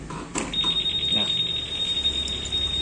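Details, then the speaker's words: Keyless ignition kit with alarm installed on a Honda: bumping the bike sets off a steady high-pitched electronic tone that stops by itself after about 10 seconds; alarm working. "Ini kalau disenggol alarmnya bunyi. Nah, untuk bunyi ini maksimal kurang lebih dia 10 detik, nanti dia berhenti sendiri."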